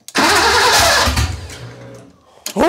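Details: BMW E30 convertible with rebuilt six-cylinder engine, first start after reinstallation with booster: starter whirs with a fast, even cranking beat, trails off, then cranks again but never catches; crank, no start.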